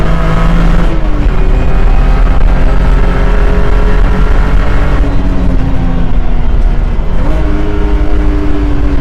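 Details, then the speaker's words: 2009 BMW E92 328i track car on solid aluminum engine, transmission and differential mounts, hard full-throttle pull: strong engine roar with a clear whine climbing in pitch with speed; differential and transmission whine carried through the solid mounts. "So, as you guys could probably hear, there's a lot of whining noises, a lot of like differential and transmission whine, and a big reason behind that is simply due to the solid aluminum mounts that this car has."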